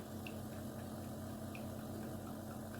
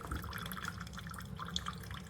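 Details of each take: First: Chefman single-serve K-cup coffee maker with 40 oz reservoir: steady low pump hum with water gurgle for several seconds, then abrupt cut-out; brew cycle shuts off early leaving water in the reservoir, and later won't start. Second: Chefman single-serve K-Cup coffee maker brewing: soft irregular drips and trickling over a low quiet hum, nothing harsh, quieter than a Mr. Coffee; normal brewing.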